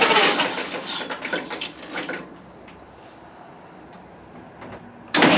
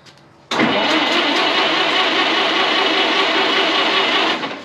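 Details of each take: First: 1927 White dump truck started for the first time after sitting 20 years: quiet at first, then it catches at about five seconds and settles into a steady, even idle. It sounds like new with 28 psi oil pressure; normal idle. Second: 1927 White dump truck, sitting 20 years, cranked on the starter: steady cranking for about four seconds but it never fires. They suspect a fuel supply problem at the carburetor and plan to crack the fuel line to check for fuel; no start.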